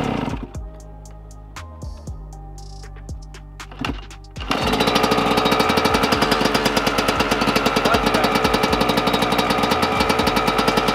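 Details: Yamaha YZ125 two-stroke first start after the project build, with water pump seals replaced to fix a coolant leak: a few seconds of clatter, then a crisp, rapid crackle settles into an even, steady idle under music; healthy.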